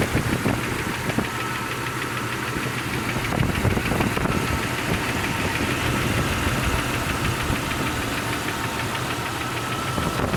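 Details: 1999 Jeep Cherokee XJ at 307,000 km (190k miles) on a cold start: rough, irregular knocking of about three per second over the idle, which goes away when revving and fully disappears when warm. Owner believes it is piston slap, not confirmed.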